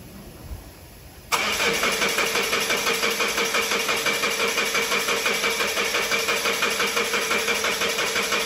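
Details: 2016 Mazda 6 towed in after breaking down while driving, code P0337 crankshaft position sensor A circuit low, cranked after swapping in a second-hand crank sensor: steady even cranking about three turns a second, never catches; crank-no-start, sensor circuit fault.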